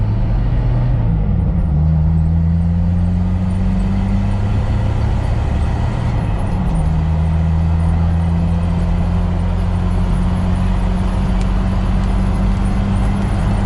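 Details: 1997 Jeep Wrangler Dana 30 front differential on a highway test drive after a rebuild with new bearings and shims, done for a loose pinion and vibration. At about 60 mph, in four, there is steady road drone that shifts with gear changes and no whine or howl.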